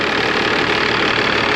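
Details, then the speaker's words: 1996 Dodge 2500 with 12-valve Cummins diesel, parked 15 years in a salvage yard, first start after bleeding the cracked injection lines: steady, even diesel clatter at idle with no misses, knocks or surging; normal, healthy diesel idle. "the hell yes it runs pretty good wow definitely a successful will it start perfect"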